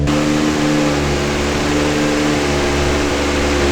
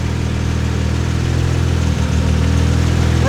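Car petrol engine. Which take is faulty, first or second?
first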